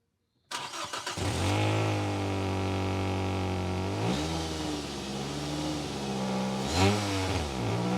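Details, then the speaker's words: Nissan Primera P12 starts, idles and takes two quick revs with a raspy, puffing exhaust note that swells on the revs; exhaust leak from a hole, owner judges it near the rear wheel, before a Holts Gun Gum bandage repair. "Well, that doesn't sound good. Hello there. Today we're in the Nissan Primera P12. There's a hole in the exhaust and we're going to fix it."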